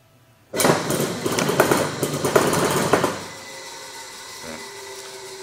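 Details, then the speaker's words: Induction motor vibrating heavily at start: rough clattering shudder about two and a half seconds before settling to steady hum; suspected loose clutch or faulty start switch (platino), found start switch stuck closed. "vamos a ver este motor que al parecer vibra mucho cuando se prende es muy probable que tenga el clutch flojo o el el platino tenga algún problema"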